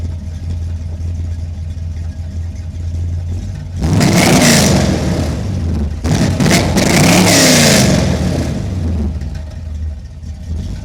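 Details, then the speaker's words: 1979 Corvette with new crate motor, warmed up, microphone on camera: deep idle with two clean rev blips rising and falling smoothly, settling to even idle; sounds good, normal running. "I'd say she sounds freaking good isuck"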